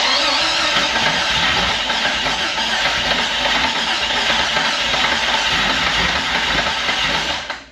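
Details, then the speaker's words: Scrap Jeep XJ first cranked and started with a new fuel pump, suspected bad gas in rail and lines: rough uneven idle with top-end clatter as lifters pump up and bleed off, not making compression on all cylinders; later cleaned up. "Hear how the lifter's gotta like pump up and bleed off and all that? It ain't making compression on all the cylinders."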